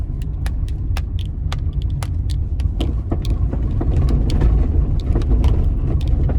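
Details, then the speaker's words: 2015 Hyundai HB20 1.0 three-cylinder, 48,000 km, driven on cobblestone street, heard near brake pedal: sharp irregular clunks, a few per second, over heavy road rumble, a strong knock under the front suspension; cause a loose bolt. "tirando os barulhos de plástico ela tem uma pancada bem forte embaixo da suspensão dele acho que agora deu para ouvir né galera"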